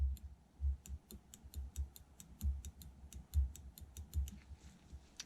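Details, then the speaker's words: 1984 BMW K100 throttle position switch, removed after a multimeter showed nothing and thought maladjusted: crisp, irregular clicks about three a second as the throttle is worked, contacts snapping over properly; it works. "So looks like it is working. Cool, we'll continue with the strip down."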